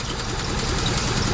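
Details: 2003 Mitsubishi (Eclipse per speech, Lancer in title) with code P0300, loss of power and fuel smell: a lumpy, uneven idle with irregular low thumps, apparently only two of four cylinders working; misfire traced to a faulty ECU.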